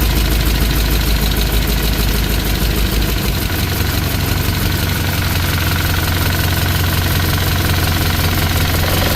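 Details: Small-block Chevy V8 in a '63 Impala just after valve lash adjustment: steady light clatter on the idle exhaust note, quieter than before but a tick persists; owner suspects most of the noise is a leak.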